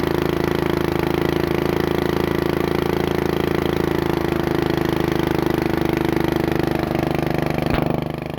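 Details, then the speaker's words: Abandoned Bolens riding mower after carburetor cleaning: small single pounds at steady fast pace, won't drop to low idle; governor and linkage work, owner thinks it just needs to warm up. "let's bring it down to low not coming down let's look and see why"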